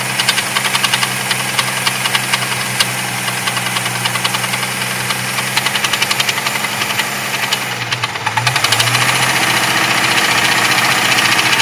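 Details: Jeep 4.0 inline-six idling hot: sharp, fairly regular metallic knock about three to four per second, engine knock when hot.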